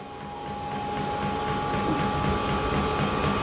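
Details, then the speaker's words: Diesel heater on a home test bed, just lit and running indoors: a steady fan whir with faint pump ticks about four per second, and hot exhaust coming from the exhaust pipe. Running normally. "Ah, we've got heat coming out the exhaust pipe. Yeah, so we definitely got heat coming out the exhaust pipe."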